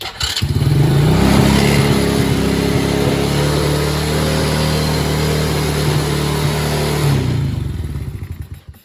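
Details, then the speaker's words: Kid-sized Chinese quad, first start after tightening loose starter solenoid nuts, fresh oil: small engine fires and holds a fast, steady buzzing idle, noticeably high; owner suspects sticking carburetor needle and seat, unconfirmed. "Wow, it runs. So it's idling a little high. So I'll check the carburetor tomorrow because it might be, needle and seat might be sticking."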